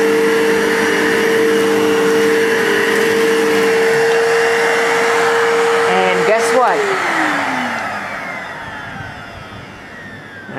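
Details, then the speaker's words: Vacuum cleaner after repair with a new belt that may not fit properly: steady high hum, then the motor winds down smoothly; it sounds much better than before but still not right, cause unclear. "that sound but it sounds better than it did sounds a lot better than it did so that does not exactly sound the greatest"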